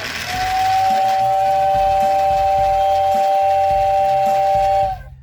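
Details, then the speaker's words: 1956 American Flyer #569 Whistling Billboard whistle motor, repaired, run on a larger transformer: strong, steady high whistle holding one pitch about four seconds, spooling up much more quickly; normal whistle. "it spools up and again you don't have a good comparison from one to the other but it spools up much more quickly now"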